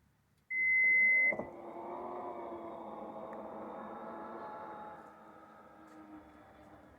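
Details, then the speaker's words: Toyota Highlander power liftgate after cleaning and silicone-spraying the joints: one warning beep, then a smooth, even motor hum closing with no squeak; squeak fixed. "Alright, the noise is gone when I close it. Let's open it. Alright, no more noises."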